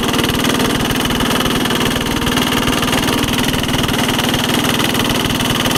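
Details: 1983 Case 446 repowered with a Lombardini 6LD 435 single-cylinder diesel, high range at full throttle up a steep grade: even, steady rapid thumping with no knocks or misses; normal running.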